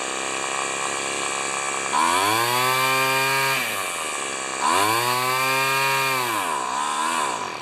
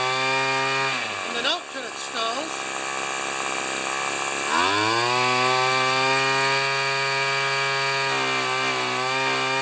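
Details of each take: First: Small two-stroke weed eater after carburetor mixture adjustment from a super-rich setting: revs up cleanly twice, buzzy pitch climbing and falling with throttle, no stalling or stumble. It runs fine, set slightly on the rich side. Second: String trimmer two-stroke whose fuel cap drips, carburetor previously set very rich and being readjusted: high buzzy note sags and wavers, picks up, then drops off and stalls; wrong carb mixture setting.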